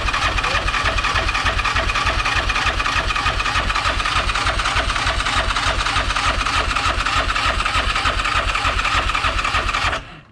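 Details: Yamaha Rhino 700 rebuilt as a 777 stroker with stage 1 cam, first cranks after reassembly in neutral: even starter cranking about 200 beats a minute, steady ten seconds, no clunks or knocks; rotating assembly healthy.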